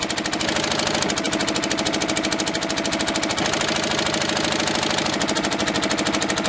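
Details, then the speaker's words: Old twin-cylinder diesel vibratory roller that broke down about 20 years ago, first run after years: loud, lumpy beat about 160 per minute with uneven pulses, firing on one cylinder; misfire, owner suspects debris in the injector. "that second cylinder seemed to pick up after a while so it might have just been a bit of crap in the injector or something"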